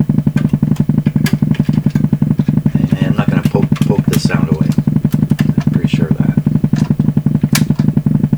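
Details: Canadian PYE Model 39HC valve radio at low volume breaks into steady, even putt-putt motorboating at about two beats per second. Connecting the antenna changed the sound. The cause is still being hunted. Finding: low-frequency motorboating oscillation.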